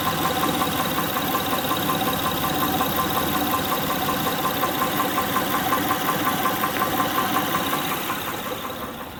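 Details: 2006 Honda Pilot 3.5L V6 at idle: crisp, even ticking-knock about three per second; spark plugs, timing belt tensioner and injectors ruled out, valve cover removal found a defective camshaft lobe; camshaft replacement planned.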